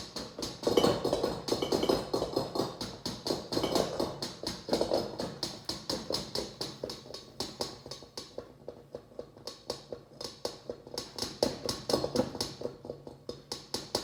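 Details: LG refrigerator model LSXC22396S: steady light tapping knocks about two per second from the compressor while the fridge is stationary, a noise expected only when moving it; cause unclear.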